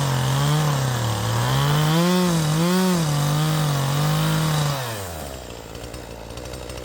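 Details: Poulan Pro 5020 chainsaw, simple mods, 20-in bar, 72 drive links, freshly sharpened 3/8 chain, cutting wood: high whine wavers, then sags and drops off as if running out of fuel. Owner thinks it may need leaning out.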